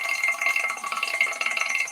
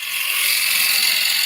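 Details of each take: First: Woodturning lathe, gouge forced into the workpiece with too much weight behind it: fast, harsh rattling chatter and bounce; tool chatter from forcing the gouge, which also heats it. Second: Woodturning lathe with the gouge cutting freely, not forced, giving a steady, even shaving hiss with no rhythmic chatter or bounce; smooth cut without chatter, versus bouncing when the gouge is pushed too hard.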